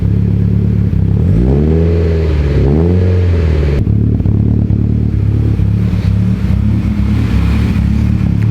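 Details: Mitsubishi Evo X, 800whp build, first start of a fresh engine with Greddy catback: deep even idle with clean rev blips rising and falling smoothly, no knocks or misses; healthy, only wastegate and evap codes logged.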